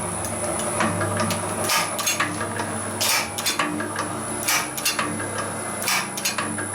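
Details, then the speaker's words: Can-crushing materials processing machine run at 33.5 Hz so cans drop in properly. Sharp irregular clicks, about forty a minute, over a light mechanical hum: the cycle switch is clicking in and out normally. "Push the button. I should have videoed putting cans through it. And you can hear that clicking. There's the switch down there."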